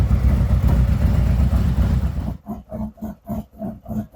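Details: 2017 Harley-Davidson Ultra Limited 107 V-twin, cold, just after a Thundermax EFI install: after a throttle blip it drops to a lumpy idle of about four beats a second; normal cold idle, the tone improving as it warms and settles.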